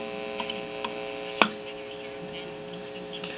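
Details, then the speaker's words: 1961 Sears Silvertone console tube stereo (12AX7 phase inverter, 6CA4 rectifier) being diagnosed: steady low 60 Hz mains hum with a few probe clicks and no program signal; it passes the first IF transformer and tube but not the next IF transformer. "So we obviously have it through this IF transformer. We have it through this tube. And then we do not have it through this IF transformer."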